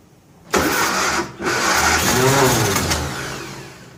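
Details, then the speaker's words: 1957 Nash Metropolitan barn find that sat for many years, cranked with starting fluid after trying the choke in various positions: it coughs, briefly catches, then sags and dies. It cranks but won't start because plug wires 3 and 4 are crossed. "very odd very odd indeed well let me fiddle for a minute you ever sabotage yourself yep i've crossed three and four plug wire i bet it runs now"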